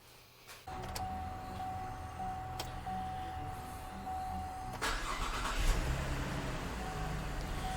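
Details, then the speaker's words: V6 (LFX) Camaro test-started after Jacfab ported intake manifold install, original throttle body still fitted before 80mm swap: starter whirs, engine catches, revs once, settles to steady even idle, no hiss or stumble; runs smooth, no vacuum leaks. "Okay, it idles down real good. Sounds good, it's running good."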